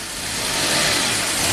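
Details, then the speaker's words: 1990 Jaguar XJS V12 after about 5 minutes of warming up: hissy, uneven idle whose level climbs over a couple of seconds; idle too high and surging as it warms. "Alright, so about after 5 minutes of warming up, this is what it's doing."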